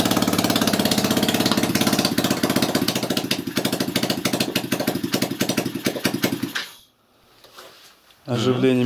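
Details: 161QMK engine, first start after long storage and reassembly with timing marks set and the doubled head gaskets replaced: rapid, even popping at about three beats a second, then it shuts off. Starts and runs normally.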